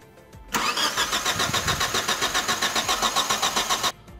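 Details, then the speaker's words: 2001 Chevrolet Grand Vitara towed in, cranks but won't start, battery jumped, spark tester on a removed coil: even cranking about four turns per second for three seconds, never fires, no spark. "como se puede observar no existe chispa así que para estar del todo seguro de esto voy a sacar una mono bovina más"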